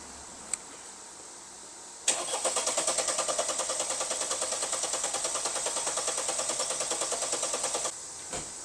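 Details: Mercedes-Benz E220 that suddenly would not start, with no 5V sensor supply at key-on, cranked after unplugging the boost pressure sensor connector; about six seconds of steady starter cranking that never fires; cranks but no start.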